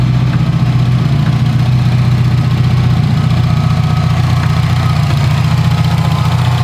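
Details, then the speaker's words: Blown 2019 Subaru STI engine, idling before teardown: deep, lumpy idle with a dull, regular bottom-end knock, a rod knock. "As you can hear, if you know what you're listening for, this thing does have a rod knock."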